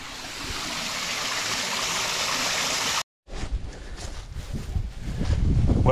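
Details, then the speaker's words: Newly replaced septic pump running with replumbed check valve joined by pipe clamps: steady hiss of water spraying from a loose, not-tightened pipe clamp coupling, then a cut and splashing; pump itself works. "on a good note we know the pump works right all right let's try it again going to stand back this time almost got splashed"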